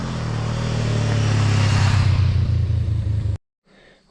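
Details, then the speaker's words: 2018 Honda CB500X twin after clutch and oil pump chain replacement, test ride outside: steady even low drone with no knocks or rattles, clutch working well, some exhaust smoke from dripped residue burning off; normal running. "So, I got it running outside. It's burning some of that junk off of the exhaust from where it dripped on there. Other than that, it looks like it's running okay, and the clutch is working good."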